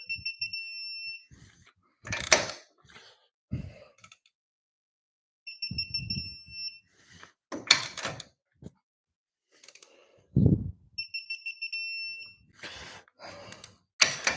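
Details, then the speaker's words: Digital torque wrench tightening Mazda Miata lug nuts, set under 100 ft-lb, car in gear with parking brake on: three bursts of steady high beeping after each ratchet pull, about every five seconds; torque reached signal. "when you hear the solid tone that means you're"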